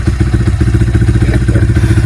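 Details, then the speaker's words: Yamaha Vixion after replacing the piston and cylinder block worn from oil starvation due to a leaking clutch-cover gasket: an even, steady single-cylinder thump at idle with no rattle or knock from the top end; healthy idle, sounds like new. "Kini setelah kita ganti seher dan bloknya, suaranya kembali seperti motor fiction baru."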